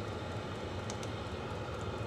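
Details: Vevor 5 kW diesel parking heater on dual Ryobi 18V One+ batteries, set to level six, voltage dropping to about 11 V, warming rapidly: steady low rumbling drone with soft whirring fan, even and unchanging; normal running.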